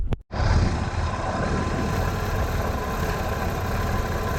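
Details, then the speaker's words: 1966 Chevy Nova with a 1967 inline six, at idle after distributor diagnosis and replacement, vacuum advance still disconnected: engine catches briefly and settles into a smooth, even idle with no stumbling or ticking; firing evenly, normal idle. "Yeah, it looks pretty good down here where it is firing. We're going to shut it off, we'll hook the vacuum advance up."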